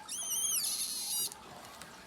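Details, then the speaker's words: RV Flair-It plumbing fitting being tightened with channel locks; thin high squeak rising then easing for about a second as it snugs down, a good sign it's seating; don't overtighten. "if you listen you'll hear it squeaking that's a good noise and you don't want to over tighten these but you want to tighten them"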